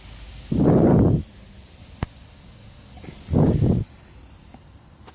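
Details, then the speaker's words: Land Rover L319 whose air suspension drops overnight with no fault codes: with the car raised, short sharp hiss bursts come from that corner's air spring bag, a confirmed leak, so the air spring needs replacing. "there is a leak there is no need to do any any other test there is a leak here and a percent yeah there is a leak here and a percent so this thing needs changing"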